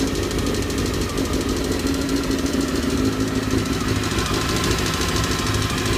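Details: Fast metallic knock over the exhaust note of a Honda CBR 919 RR inline-four at steady idle; source not pinned down, cause suspected but not confirmed.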